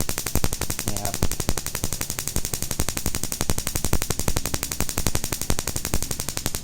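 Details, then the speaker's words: Daihatsu Mira ignition coil, original part, spark-tested across a wide gap for a car stumbling at idle with A/C on: fast, sharp, unbroken crackling snaps, coil fine; mechanic suspects compression or injectors instead. "สบายเลยออันนี้ก็คือเช็คเลยก็เลยรู้แล้วนะครับว่าคอยจุดระเบิดใช้ได้นะครับไม่เป็นอะไรนะ"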